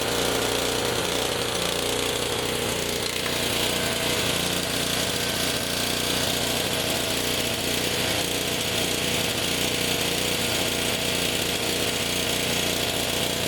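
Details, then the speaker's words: Honda HS520 four-stroke snowblower running on fuel poured in by hand: rough, rattly, uneven beat with lots of hiss; runs only when primed because the throttle/choke linkage cap is stripped, and it surges, running better on choke. "So yeah, that's why it won't start for anybody was it would only start when I primed it. That's exactly why you would throw it away."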